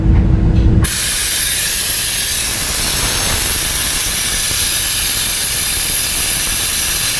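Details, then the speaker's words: Volvo FMX 440 truck with weak exhaust brake, diesel running: loud steady unbroken hiss of escaping air on the right side of the engine at the exhaust pressure governor (EPG), which must be removed. "Bagian sini ya, EPG. Berarti kita harus turun ini EPG SI."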